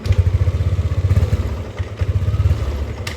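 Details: Yamaha Aerox scooter: starts easily and idles normally, but stutters and bogs without power when throttle opens at higher rpm; suspected throttle body sensor, TPS to be looked at first.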